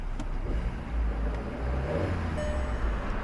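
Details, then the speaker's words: Polo with 70,427 miles, 5-speed manual, just bought in: low, quiet, steady rumble with no ticking, knocking or rattles under light road noise; engine running cleanly. "All sounds good. Let's find out if the air conditioning works, because it's pretty hot again."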